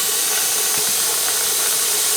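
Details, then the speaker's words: Presto pressure canner holding 7 quarts of potatoes, venting before the weight goes on, run at 10 lb pressure in Florida. A constant, even hiss with no sputter or pulsing. This is normal steam venting. "I'm just going to put this lid on here, and we're going to wait for that thing to start doing what I call spitting. It's going to go I just call it spitting because that's what it sounds like."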